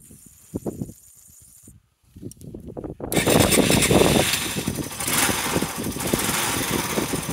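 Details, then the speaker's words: Yamaha SR125 single, first start in 3 years, in neutral, carb cleaner sprayed into carb boot, fuel hose and float bowl: catches and runs ragged without picking up, won't rev, then dies as the spray runs out; no fuel getting through. "I've sprayed some down into the float Bowl I have no idea how quickly this stuff off gas is but it sounds to me like it's running won't rev but then what do you expect"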